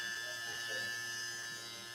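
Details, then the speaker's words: Andis Phenom electric hair clipper running with a steady, even buzz and no rattle after blade adjustment, showing the cutting blade is set correctly and not over-biting. "But we're good. So this is what I mean by it being attachable."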